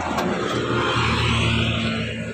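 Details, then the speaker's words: Suzuki Carry with good battery and serviced starter still cranking heavily: starter turns slowly and labours with a low drone, never catches; ground cable under the engine suspected as the cause. "Sekarang kita akan ngecek ya mobil Suzuki Carry staternya berat padahal aki bagus dinamo starter sudah kita servis ya Masih berat starternya seperti ini ya"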